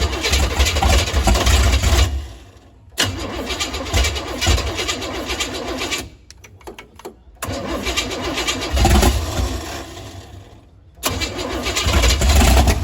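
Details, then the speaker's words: 468 big-block Chevy V8 in a Nova, cranking on starting fluid, set up for 93/race gas: three long cranking bursts with uneven pops, never catching; ignition timing too advanced, fixed by retarding distributor. "I just knew it was it was firing a little bit. It was popping, but it was too advanced or [ __ ] I think that weighs advance back. So, we just had to pull it back a little bit and it wasn't turned over so hard. It wasn't firing at the right time."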